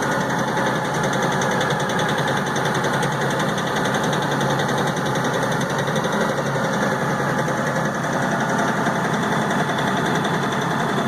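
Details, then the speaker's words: LS XR4155 tractor diesel sitting near 1200 rpm on its own with throttle all the way down: uneven clatter with an irregular knock, missing on a cylinder; owner hopes water in fuel but doubts it; rough running. "it's missing on a cylinder throttles all the way down"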